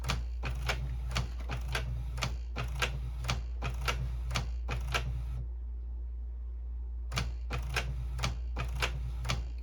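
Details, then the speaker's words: Canon Pixma printer/scanner that had quit feeding paper, after being opened up. Rapid clattering bursts about once a second, a pause, then repeating: apparently a normal print-head cleaning cycle. "Apparently, it's trying to clean the printers. Are the print heads"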